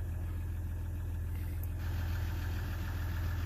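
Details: 2016 Ram 1500 EcoDiesel idling after its connector pins were cleaned and zip-tied for a no-crank/no-start, scans clean, coolant leak still present: steady, even low diesel idle with no knocks or misses; normal idle.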